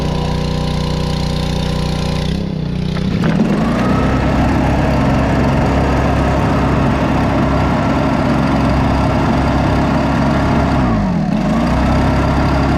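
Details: Two-stroke engine after carb rebuild (ultrasonic cleaned), new fuel line and blown-out reused fuel filter: picks up cleanly, holds a steady buzz, answers throttle without bogging or surging.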